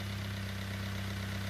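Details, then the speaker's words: Customer car: steady low idle hum with a faint, fast, even tapping; light knock at idle, top end checked OK, excessive piston-to-bore clearance suspected, no large quantities of metal in the oil. "we might have may be excessive piston to ball clearance or something like that making it a little bit knocky knocky at idle it's not too bad"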